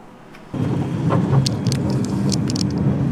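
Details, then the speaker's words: Fully loaded 1966 Volvo Amazon P121 being driven over bumps. Irregular creaking and scraping is heard over the road rumble as the sagging rear right suspension spring drags against the body. "You can hear that noise when I go over bumps. That sort of creaking noise. The rear right spring on the suspension has is pretty much sagging and and dragging against the body."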